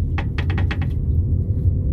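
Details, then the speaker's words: Nissan Primera P12 on a test drive after a 400-mile trip, turning right: a quick cluster of about six sharp clunks from the rear over road rumble, an intermittent noise also triggered by potholes; owner suspects nothing serious, cause not yet clear. "can you hear that so that's the problem it's not too bad i don't think it's anything particularly serious but i don't like putting noises in the back of the car"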